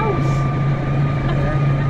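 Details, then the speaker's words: Slight but loud steady high transmission whine over the tractor's engine drone, even pitch throughout; this tractor previously had water in the rear oil and lost gears, and the gearbox was dismantled and repaired by an agricultural engineer. "we've got a little bit of a transmission whine. Yeah. Only a little bit. Yeah, it's you can hear it across the valley."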